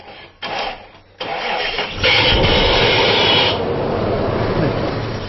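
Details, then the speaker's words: Isuzu Rodeo with cranking no-start despite a new fuel pump, cranked via a paper-clip jumper at the relay box: short cranks, then it catches and roars briefly on starting fluid before fading; no fuel delivery, later traced to faulty pump wiring. "this car is not getting fuel to the engine no question about it"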